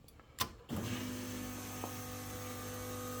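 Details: LS-swapped G-body Cutlass with Holley system, after the faulty PDM box relay was sorted: a relay click at key-on, then a steady faint electric hum. The fuel pump is priming normally.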